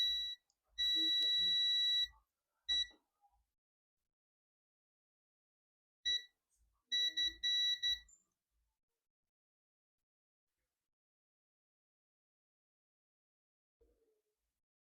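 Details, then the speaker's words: Dell Inspiron 15 3542 (Wistron Cedar 13269-1) not powering on: multimeter continuity beep holds steady each time probes touch a capacitor; capacitor fully shorted. "so look at this capacitor you can see the capacitor you can hear the capacitor beeping"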